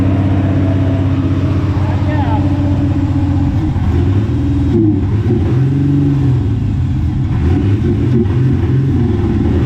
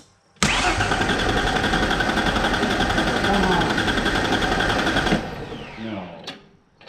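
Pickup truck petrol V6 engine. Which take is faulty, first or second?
second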